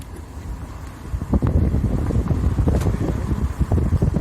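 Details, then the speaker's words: VW Saveiro whose brakes whistled after new pads, fixed by spraying a product on the back of the pads: gentle downhill braking gives only a low rolling rumble and wind, no squeal. The brakes are quiet. "vou pegar uma ladeira aqui onde o carro fazia muito frio muito barulho se reparou naquele começo no vídeo ó ó e vamos ver se funcionou a pessoal pelo jeito tudo beleza"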